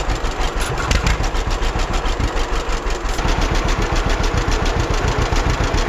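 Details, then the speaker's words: 1946 John Deere BN tractor on a 47° day, after carburetor rebuild and governor throttle control rod adjustment to fix earlier surging: even, lopey putt-putt about 3.5 beats a second, no hunting or surging. Smooth idle. "I'll fire up the tractor and I think you'll agree once you hear it that uh the tractor seems to run quite quite well now"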